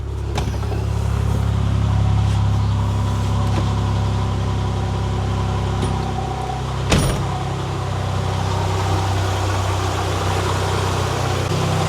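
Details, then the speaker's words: 2002 Nissan Xterra idling after the bad distributor, the suspected stalling cause, was replaced: a steady, even low idle with no misses and one brief clatter. It no longer dies and idles smoother; normal idle. "It runs. And it would have died by now if I was trying to run it the other day. So I think that's the problem."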